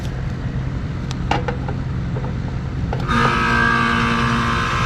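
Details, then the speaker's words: 39-year-old Carrier condenser unit: compressor starts but fan motor only hums with tonal buzz, no blade whoosh, drawing 2.3 amps; seized condenser fan motor, to be replaced. "Fan motor's pulling 2.3 amps. Doing absolutely nothing."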